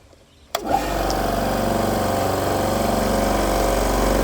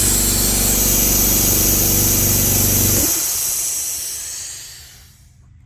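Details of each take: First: AEG 60 L silenced air compressor after replacing faulty unloader valve/pressure switch that leaked air: motor runs with steady, even pumping drone, no air hiss, then shuts off at full pressure as unloader valve releases; functioning normally. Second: AEG 60 L silenced air compressor with a cheap pressure switch: steady motor drone under a loud hiss of air escaping from under the switch while running. The hiss stops when the motor stops, and the check valve is fine. The faulty unloader valve is stuck open.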